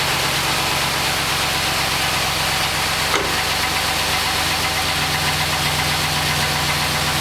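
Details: 2006 Chevrolet Trailblazer SS AWD V8, cold start: steady hollow knock running under the exhaust at idle, piston slap. Piston slap on cold start.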